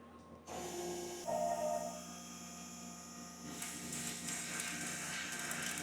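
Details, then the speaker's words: Drilling A5052 aluminum with a 5D center-through drill: steady drilling hum with fine irregular crackle as chips snap off cleanly; chips break properly regardless of whether a step is added. "As you can hear the crackling sound, the chips are broken properly regardless of whether or not there is a step."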